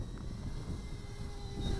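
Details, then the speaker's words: GoolRC G90 Pro brushless micro FPV quad (1104 8000KV motors, five-blade 1935 props, Betaflight) in flight with the battery at 6.4 V: a steady high motor whine holds through the pass over heavy wind rumble. Motors and props sound healthy and smooth. "But well, this is flying very nicely, folks."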